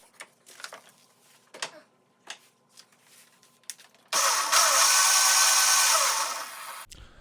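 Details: Razor MX electric dirt bike after controller fix for clicking/no throttle: a few light handling clicks, then a steady high whir as the motor spins up normally.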